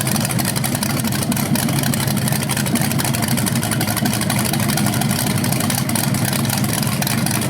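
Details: BluePrint 396 big-block crate engine for a 1970 Camaro SS, first run with headers and flywheel: deep, lumpy steady burble with light throttle blips; healthy fresh engine, though a slightly different rev sound is noticed, unsure if headers or flywheel.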